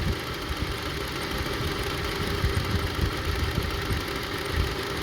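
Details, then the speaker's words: 2002 Honda CR-V 2.4 L with rough idle; one ignition coil unplugged during a coil test leaves three cylinders firing, and the idle turns lumpy and shaking. All coils and plugs tested fine, so they are not the cause. "Three cylinders only working. Start shaking. Put it back."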